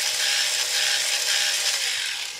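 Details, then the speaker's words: Second DustBot toy robot: a fast, dry clickety-clack ratcheting runs steadily while the drive turns. "one so the clickety-clack noise is in this one and this one has bad wheels so I want good wheels here and the clickety clack to stop that's what I need to do"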